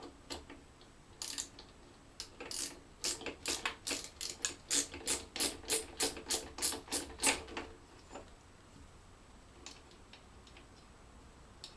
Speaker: okay see you can hear it rattling but that's fine because the rattle isn't because it isn't tight enough the rattle is caused because it's not aligned yet